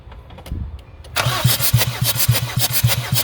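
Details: Jeep Liberty CRD diesel after top-end rebuild, glow plugs out, compression test on cylinder 4: even cranking thumps just under two a second, no weak beat; reading about 325 psi, healthy.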